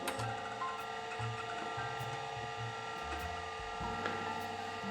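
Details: Datavue Snap 1+1 portable MS-DOS computer, hard drive loading programs: short bursts of quick clicking and whirring seek chatter over faint steady spin hum; drive working normally.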